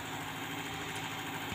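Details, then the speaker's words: Espass (Zebra) engine with stalling at low throttle, shaking and unsteady idle, after washing and distributor timing adjustment; raised rpm holds an even, steady hum with no stumbles or dips, running smoothly. "Nah di sini RPM naik terus Lur ya RPM tinggi tapi rata gak ada jadut-jadutnya sama sekali enggak ada nyendatnya"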